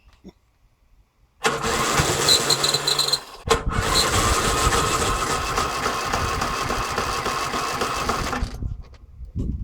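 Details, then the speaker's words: Briggs & Stratton engine on a Yard King mower, after fuel priming with the air filter cover off: electric starter spins the engine at an uneven chug, stops, cranks again, but it never catches. "okay here goes electric start threw up the White Flag already great okay try it again electric start"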